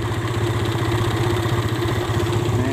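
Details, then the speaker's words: Yamaha Vega R New, single-cylinder, idling with a low, slightly uneven thump and faint wavering; intake manifold gaping from loose bolts leaks air, a cause of stalling on long rides; fixed with carburetor service, bolt tightening and replacement CDI. "jadi si intake ini mangap ya kebuka jadi bautnya itu nggak nggak kenceng ya jadi si intake ini nih kakinya itu rembes ya"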